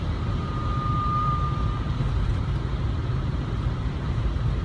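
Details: 2002 Lexus RX300 1MZ-FE while driving: steady high-pitched whine over road rumble, from the automatic transmission; noise went away after draining ATF, replacing the filter and refilling with fresh fluid.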